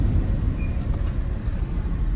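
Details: Jeep WJ 4.0 shaking with dash lights on and code P0351 (coil primary/secondary failed); a lumpy, stumbling idle. The cylinder 1 plug shows no firing, a misfire from the failed ignition coil, fixed by replacing the coil and plugs.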